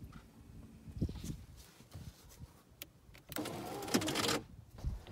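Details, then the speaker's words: Skoda Fabia mk1 power window with glass clipped in place: brief buzzing whir with scattered clicks as the motor runs but the glass stays put, pointing to a broken window regulator needing replacement. Power window regulator failure. "Iar dacă auziți acest sunet minunat,"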